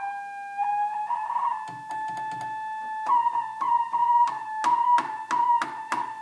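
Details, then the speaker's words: 1976 Octave CAT analog synthesizer: keyboard notes come out with a slightly wavering, unsteady pitch between presses. Unstable pitch from a dirty oscillator tuning potentiometer, which needs cleaning. "so um that at first i thought my keyboard was still messed up but if the um tuner is in a dirty spot the the keys will sound bad"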